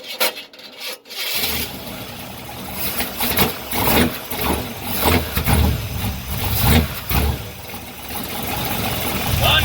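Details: 1986 Chevy Suburban with 383 stroker crate V8 after replacing leaking braided fuel line; cranks, catches and settles into fairly even rumble with some rasp, no misfire or knock, no fuel leaks.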